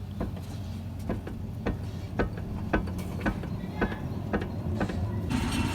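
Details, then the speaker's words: Maruti Suzuki Alto, wheel off, front left wheel rocked: sharp metallic knocks about two a second, louder than right side; worn steering rack bush with excessive play. "तो left side से थोड़ा थोड़ा आवाज आ रहा है तो हम इस साइड का भी जो है ल निकाल लेते हैं"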